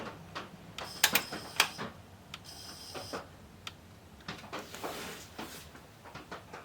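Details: 1989 Pioneer CT-S405 cassette deck on first power-up test: irregular light ticks and clatters with sharp snaps and no steady motor hum; the tape mechanism is catching and jamming somewhere, cause not confirmed.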